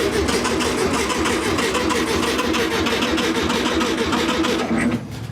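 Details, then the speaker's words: Barn-find VW Beetle, sat for decades, first start attempt with sloppy ignition switch and a suspect green wire to the distributor: fast even starter churn for five seconds with no firing; no spark, cranks but won't start. "there's no spark but like I said this green wire I'm going to keep going after this screen while it goes to the distributor there"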